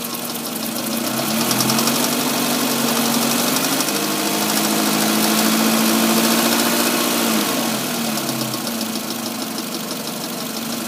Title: Ticking noise in engine